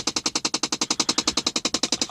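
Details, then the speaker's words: Impala at 5 years and 160k miles: rapid, even tapping, about nine sharp high clicks a second with no engine under it, from a failed blend door (heater) actuator. "But anyway, that tapping noise, which is this piece, the blend door actuator, heater actuator, whatever they want to call it."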